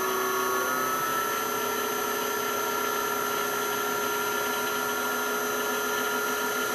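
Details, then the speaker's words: South Bend lathe motor on a VFD raised from 60 to 70 Hz, overdriving above the factory motor's rated speed: an even whine with level high tones and no knocks or rubbing, running cleanly. "there you can see i'm over driving it so i'm actually going above the speed of the factory motor"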